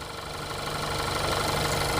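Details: Warm petrol engine idling with a fast, light ticking over the steady hum, recorded before adding Lucas TB Zinc Plus ZDDP oil additive.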